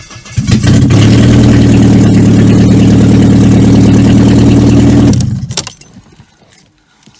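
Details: 1995 Vauxhall Cavalier MK3 X20XEV running with exhaust downpipe removed, old fire ring apparently leaking exhaust gases: very loud, raw, deep drumming at steady idle, no muffling at all.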